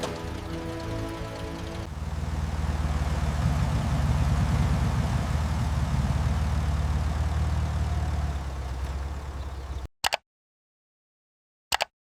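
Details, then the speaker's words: Restored 1937 Austin Seven Ruby running; low, even exhaust pulse building and holding steady with no knocks or misses, small engine running healthy. "Listen to that exhaust pulse. She's alive"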